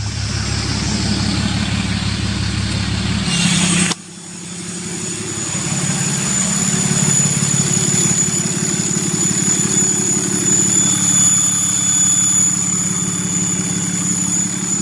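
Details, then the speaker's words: 6.7 Cummins diesel with 5-inch straight-pipe exhaust, just after HPP EFI Live tune install: steady loud idle with clean high turbo whistle holding constant; engine settles smoothly and runs normally, sounds like a jet. "that sounds like a jet."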